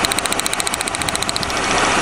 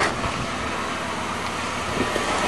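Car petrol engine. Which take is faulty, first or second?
first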